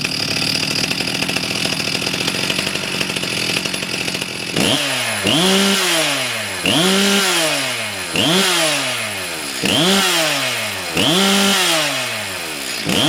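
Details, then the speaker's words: STIHL MS 361 chainsaw after carburetor repair for flooding/running rich, needle valve checked, started after 10-minute wait: fires up, holds a clean idle, blips crisply to high revs and drops back evenly; runs perfectly. "от ви чули бачити зараз запустилися все в ідеалі"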